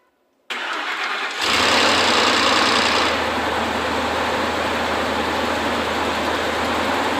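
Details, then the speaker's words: 2004 Ford F150 5.4L V8 cold first start after timing component reassembly, coolant not yet topped off: catches quickly, brief initial clatter fades to even smooth idle; much quieter than before the new components. "that sounds much quieter now granted this is a cold engine it's gonna have to get warmed up we got to top off the coolant drive it a little bit things like that but it already sounds much quieter than the engine did before we put these components in"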